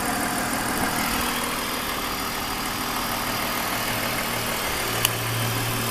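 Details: 2001 BMW 530i M Sport (E39) at idle: steady idle with uneven ticking and hissing layer over the engine; recently developed abnormal engine noise, cause still being investigated before repair.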